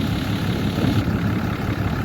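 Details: 2012 Ram 3500 6.7 Cummins diesel at idle after replacing a water pump with a loose, rough pulley and a broken belt: steady, even rumble, no knocks, squeals or belt chirp, smooth idle, no leaks, running cool.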